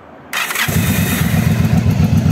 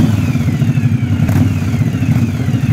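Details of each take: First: Warm Yamaha DragStar XVS 1100 V-twin gives a brief harsh clatter while cranking before it catches, with a click on shutdown; the starter one-way clutch is slipping and worn. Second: Yamaha DragStar XVS 1100 serviced for a damaged starter clutch and timing chain concerns: the big twin catches and settles into a steady, even low thump with no knocking or clatter before shutdown, a healthy idle.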